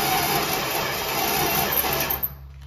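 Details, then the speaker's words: 1964 Dodge Dart wagon, 170 slant six, push-button automatic, parked outside over 25 years: engine cranks sluggishly with a labored, uneven whir for about two seconds and doesn't fire despite spark and fuel sprayed in; lack of fuel suspected. "Why does it not sound like it's firing? Is it not getting fuel?"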